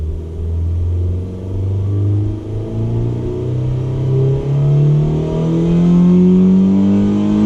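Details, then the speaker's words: Mazda 2 with a freshly installed CorkSport short ram intake, revved up to the redline: engine note climbs smoothly and steadily with a deep even rumble, no misses or rattles; sounds good. "sounds good up to red light pretty good"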